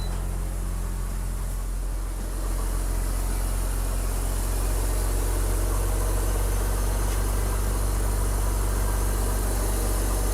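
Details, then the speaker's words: 2005 BMW X3 under restoration, back up and running: low smooth idle hum with steady even pulse, no ticking or knocking; normal idle. "is working sounds good now it's just about getting it cleaned up"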